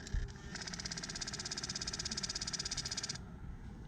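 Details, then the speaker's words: Suzuki GSX-R1000-powered vehicle after starter replacement: at key-on a rapid buzzing chatter pulses about three times a second for nearly three seconds; throttle blades open slightly and close, not communicating position to PCM; suspected TPS sensor or throttle motor, untested. "throttle blades are not communicating with the pcm of where they're sitting they'll open up just a little bit and they close right back off"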